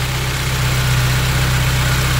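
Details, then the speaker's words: Subaru BRZ with SBD500X turbo kit and Mishimoto oil cooler, first start-up after the install, oil system primed: steady even low idle hum with no misses, knocks or whine; quieter, like a stock car. "since it is a two-goal part is gonna be a little quieter sounds like a stock car actually"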